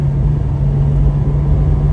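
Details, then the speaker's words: Porsche 718 Spyder PDK with Kline aftermarket exhaust, valves closed, driving through corners: steady, even low rumble with constant deep hum, no drone or rasp; much tamer and quieter than with valves open. "It's much tamer and quieter, so it's nice to have a valve controller if you upgrade to the Kline exhaust."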